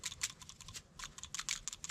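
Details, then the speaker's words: Old PCV valve just pulled from a 6-cylinder 3rd-gen Toyota 4Runner, shaken by hand: quick, light, crisp clicky rattle with no sticking; the check ball moves freely, so the valve still works, but it is being replaced anyway. "So usually that's all right. That means it's still good if it makes that sound."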